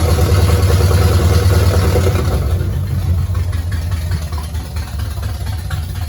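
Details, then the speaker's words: 1969 Pontiac GTO barn find with Grand Prix engine, TH400 transmission and Quick Fuel 750cfm carb, running for the first time in 17 years after wiring work; deep, uneven, rough loping idle, a bit of clatter and smoke, seemingly in gear. Rough idle. "well look at her a little smoky sound a little rough i'd say it runs"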